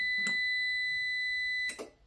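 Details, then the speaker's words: nJoy Cadu dual-battery (24V total) UPS with failing batteries, powered on at extremely low load: relay click, one steady high beep of about 1.5 seconds with the battery light blinking, another click, then shutdown. "And yeah, that was it. Just beeping and uh the battery blinking."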